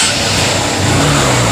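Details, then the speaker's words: Honda CB Shine after repair and reassembly, idling even and smooth with a steady rhythm, no tapping or rattle; now sounds like a normal, factory-fresh Shine. "Start है और यहां का sound आप सुन सकते हैं एकदम sign का जो साउंड होता है कंपनी रिकॉर्डिंग दोस्तों वह साउंड इसमें ए गया है"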